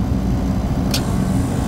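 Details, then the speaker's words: Refrigeration compressor just started after a phase-rotation check while refrigerant is being charged: steady deep hum with no rattling or labouring; it is rotating the right direction and running normally. "it's running in the right direction no problems there you can tell by the sound"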